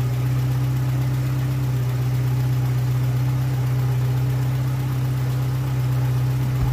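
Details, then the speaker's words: Old VW Polo engine running after engine work and refilling with 15W-40 oil, still to be run in over a few days, oil change planned after: steady, even note with a smooth low hum, no knocks or misses; healthy. "aber er klingt wieder richtig gut wie gesagt die einspielung wird erst ein paar mal ein paar tage durchlaufen werden"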